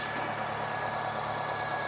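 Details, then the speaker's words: 2018 Nissan Sentra after reinstalling the forgotten vacuum tube during EVAP purge valve testing: even, steady idle hum with constant pitch, no stumble or surge; normal idle, purge valve not stuck open. "Let's install this tube. Yeah, now it's gonna idle."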